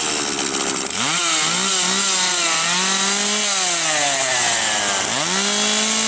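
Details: Husqvarna 142 chainsaw after oil pump plunger replacement for no chain oil, cover removed to watch oiling: fires and revs cleanly, high buzz rising and falling with throttle; normal running, oil now flowing.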